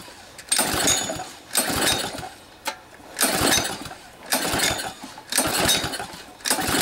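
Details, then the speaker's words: Honda GC160 5 hp engine off a junkyard pressure washer, run without water supply after exhaust valve lash adjustment: rough surging roar and the earlier valve ticking is gone; it smokes from overfilled oil and having been tipped over. "got a lot of oil in the system here that needs to burn outo got to bail out too Smokey so I'm just letting it run for a while to clear out all this oil it was overfilled on oil is one thing I noticed that's why we're getting all this smoke but it'll clear out that kicking noise is gone"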